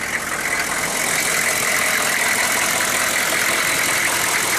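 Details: 1994 Chevy 2500 6.5 turbo diesel idling warm (run 20 minutes earlier, about 70°F) with the lift pump now running and a reportedly newer injection pump; steady, even clatter with a light rattle on top, no misses or surging. Healthy normal idle.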